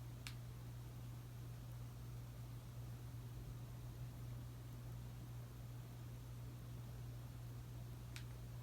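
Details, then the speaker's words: Casablanca S3 ceiling fan (2002, 188x20 mm motor) with new capacitor, medium speed via Versa-Touch 1B: soft steady low hum, faint air hiss, two light clicks, no rattle or wobble; normal running. "Now I'm going to go ahead and turn it on medium."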